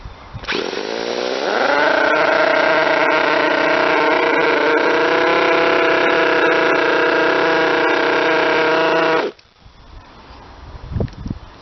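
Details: Model twin rotary engine, retested after fixing stator gear mesh noise, bad crank and housing, plates .005 mm out; spins up to steady high whine, no gear chatter, then shuts off; normal running.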